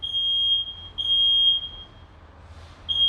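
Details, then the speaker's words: Smoke detector being tested with smoke: a loud, piercing, high-pitched tone in repeating half-second pulses. This unit works but its alarm is lower in decibels than the other unit tested. "Bu da ötmeye devam ediyor bakın bunun ötme sesi e desibeli düşük biraz öteki fazla"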